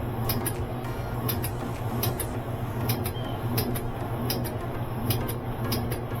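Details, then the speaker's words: Kenmore 70 Series Whirlpool direct-drive washer that won't spin: motor hum with sharp clicks about 1.5 per second as the start switch cycles under drag, later traced to a blockage in the water pump, not the capacitor. Start switch cycling. "You can hear that switch throwing out back and forth. If it was a start capacitor, it would I think it wouldn't even start, it would just hum."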